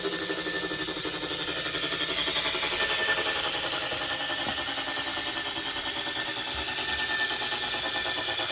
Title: Wahoo Kikcr Core humming noise